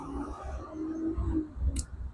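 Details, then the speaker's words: Air solenoid from a carbureted Bajaj Platina with a starting problem, high or fluctuating idle and a hot ECU, bench-tested with 12 V after passing a multimeter check: a single sharp click as the plunger pulls in. The solenoid works. "ये आवाज़ करना चाहिए और इसमें भी टिक टिक जैसे आवाज़ आना चाहिए।"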